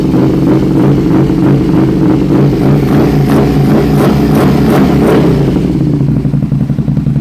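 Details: 2006 Aprilia RSV1000R V-twin, 1,300 km after service, new plugs, crank sensor replaced, vacuum lines checked; owner notes small spark at front cylinder: uneven stumbling beat with irregular popping; engine misfire, cause unknown.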